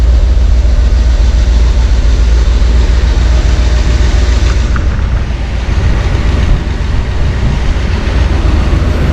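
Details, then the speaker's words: 1971 Corvette convertible V8 under restoration, with valve covers just refitted and timing not yet set with a timing light: deep, steady, even low rumble with no knocks, misses or stumbles; normal idle. "Smooth as a dream."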